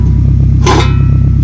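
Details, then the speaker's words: 2011 Camry with broken exhaust at idle: deep, very loud, pulsing rumble with almost no muffling, like straight pipes. Flex pipe was seen leaking and owner assumes it is cut. "loud okay she sounds like a scatty sounds like a scatty with the scit pipe you know what I'm saying"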